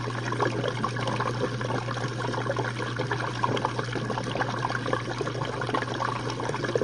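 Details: Jenn-Air dishwasher on Quick Wash cycle with no heat dry, one Cascade pod; final drain after last rinse: steady low pump hum under rushing, gurgling, evenly paced water flow. Normal drain.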